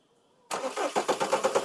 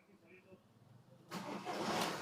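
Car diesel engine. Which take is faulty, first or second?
first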